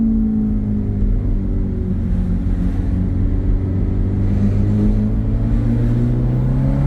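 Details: 2007 Ferrari F430 Berlinetta V8, automatic in sport mode, under partial throttle acceleration while driving: deep, smooth note climbing steadily in pitch, clean and even with no misfire or knock; healthy engine.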